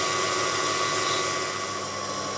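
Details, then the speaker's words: Drilling a pilot hole on a lathe: steady high-pitched squeal with constant rubbing hiss because the spindle runs much too fast, causing needless noise and shortening drill life. "the lathe is running much too fast here which causes unnecessary noise and rubbing and reduces the life of the cutting"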